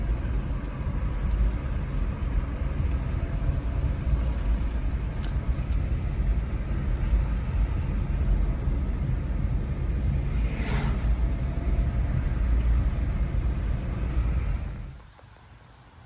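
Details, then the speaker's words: 2017-2018 Chevy Malibu road test after replacing rear suspension knuckles (worn lower bushing causing rear noise; rear shocks replaced earlier): steady low road rumble, no knocks or clunks from the rear, noise gone. "right guys I just made it back thing drives amazing no more noise"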